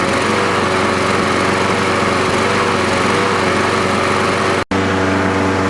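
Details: Troy-Bilt 12AV566N011 mower after float bowl and main jet cleaning: single-cylinder runs smooth and even at steady speed with one brief dropout; normal running.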